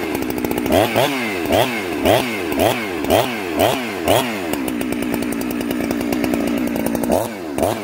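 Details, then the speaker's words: Chainsaw, warm, in the cut: pitch warbles and burbles unevenly about twice a second, four-stroking from a rich carburetor setting during tuning. "oh okay guys this sauce warm now i want you to hear blubber in the cut that means that it's four-stroking"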